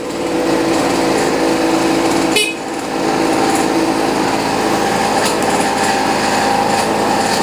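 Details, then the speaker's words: Boreem Tankman scooter, small two-stroke, sometimes slow to start: engine buzzes high with an uneven, rattly note and a brief stumble; rattling and misfiring but runs and drives, cause unknown. "so as you guys can hear it's kind of like rattling you get it's it's kind of misfiring but uh it does run it does drive too"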